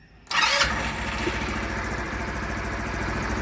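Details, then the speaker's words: Wolf EX-150 scooter with GY6 157QMJ 150cc four-stroke engine, after hard-start diagnosis and repair: short starter whir, fires in under a full revolution, then a steady, even idle with no stumble; normal quick start. "tell me that was in no way a full revolution. That's crazy. She's a damn cream puff."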